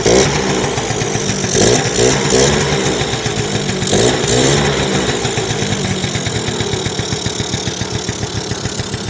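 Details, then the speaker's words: 1986 Yamaha Razz two-stroke scooter, kick-started after carburetor rebuild fixing an overfilling float valve that gushed fuel: catches with a few blips, then an even steady idle putter; smoky but no leaks; normal idle. "so that float valve was the deal is overfilling the ball so yeah it runs like you know heck yeah this thing's awesome"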